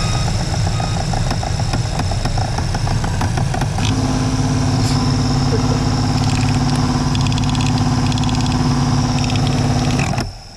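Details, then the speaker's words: Old failing heater blower motor removed from a 1995 Chevy K3500 dually 454 (OBS): rough, ragged whirring with uneven rattling and a steady hum underneath until it shuts off; the motor is shot and was replaced. "I'm going to do another demonstration of how god awful this thing sounds."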